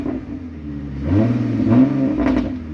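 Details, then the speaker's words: 2007 Ford Mustang with straight catalytic converters to a Y-pipe and no mufflers: blipped from idle into a deep, loud rasp that rises and falls with throttle; open exhaust, engine running fine. "she sounds pretty bad that's straight straight cadillac converters no exhaust to a y-pipe out the back it really sounds pretty cool actually"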